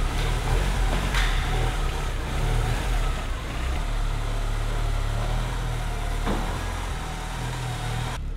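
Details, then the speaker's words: Porsche 944 S2 first run in over a year after clutch bleed and fan water temperature sensor change: steady even engine rumble with no knocks or stumbles; runs very well despite weak battery. "The car, although a little rough around the edges, was running incredibly well."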